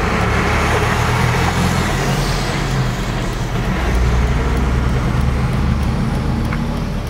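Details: BMW E46 M3 inline-six running loud and uneven with lumpy, beatless pulses; misfires on all 6 cylinders diagnosed as caused by pre-cat O2 sensors swapped into the wrong banks.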